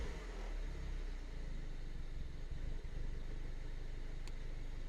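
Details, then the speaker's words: 2007 Mini Cooper S R56 after replacing rail fuel pressure sensor (P0190 rough idle, no start): fuel pressure now present, steady even low rumble with no misses or hunting; idling great, though later P0300 misfires returned and P0012 appeared. "At least my fuel pressure is here, and you can see now it's idling great."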